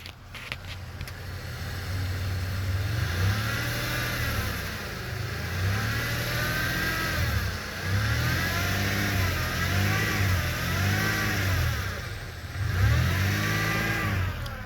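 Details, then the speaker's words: 2000 Chevrolet Impala 3.4 V6, 4T65E transmission, 121,000 km: clear whine rising and falling with light throttle in park, with bucking on 1-2 shift; transmission suspected (shift solenoid or computer), not power steering, which was replaced. "if i put the vehicle in park and put my foot on the gas a little bit you'll hear the whining"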